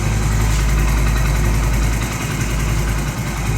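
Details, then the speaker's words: 2025 Honda Pridor, noise began after riding 25 km: small single idles with an uneven, throbbing rattle about three and a half beats a second; owner suspects the clutch plate, not confirmed. "अभी kilometre ही जितने हुए जो इतना शोर करने लग गया है इसका इंजन ए"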